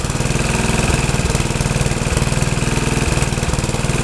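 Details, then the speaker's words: Troy-Bilt tiller test run after rebuild; owner unsure of choke setting (full, half or none) but it starts and runs good: single-cylinder holds a steady, even beat about four firings a second, no misses or knocks. "maybe we just got to learn the uh choke combination maybe it's full choke two poles and half choke or no choke I don't know it does start and runs good"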